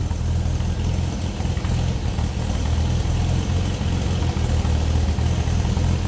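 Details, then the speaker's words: 1962 Nash Metropolitan convertible, just started on a little choke, in neutral, heard from the rear: low, steady exhaust burble with an even beat and no misses or knocks; normal idle. "Fires right up. Make sure we're in neutral."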